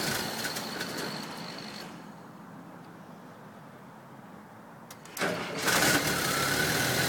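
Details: 1978 Volkswagen Westfalia hard start: engine catches with rough run, cuts out after two seconds, restarts after short silence; stalled twice after starting, third time idled roughly with gas.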